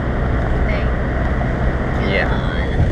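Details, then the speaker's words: 2002 Saab 9-3, heard from inside on a test drive after replacing the leaking center exhaust section and tightening every bracket: a steady, even drone with no rattles, ticks or puffing leaks; the exhaust sounds sealed and solid. "we're taking it for a quick test ride and making sure it sounds good which so far sounds good"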